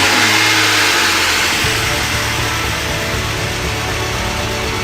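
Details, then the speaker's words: BMW E36 with M52 2.8 L inline-six, first start in over 7 years, with the broken fuel pump found to be the fault: fires and revs, then settles into a steady, somewhat rough idle; running again, may need an oil change. "It's alive. It didn't sound great, but it's definitely alive. Maybe it does need an oil change."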